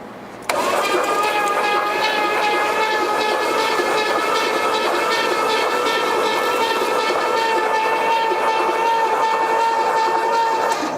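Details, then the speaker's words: 1972 Pontiac LeMans barn find, sat about 20 years, first crank after reconnecting the battery cable: starter spins the engine at a steady, even pace for ten seconds without binding; turns freely, not locked up. "Well, she's not locked up, huh? No."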